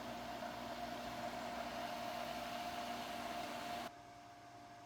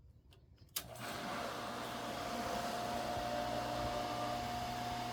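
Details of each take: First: Pool sand filter pump after a third priming attempt, air cleared from the system. Steady even hum, constant motor tone, no gurgling or surging, then cuts off; running normally. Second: Pool sand filter pump at first start of pool opening. Steady motor hum with thin high whine and no water rush; no water coming through, pump lost prime with air in system, needs more water added.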